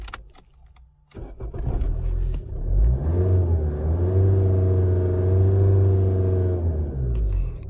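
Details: 2002 Opel Corsa 1.7 CDTI diesel, which stalled and wouldn't restart when hot, with P0251 and unstable idle; after repair and warm-up: starts, settles, revs up smoothly and holds a steady even drone, no stumble or misfire; normal revving.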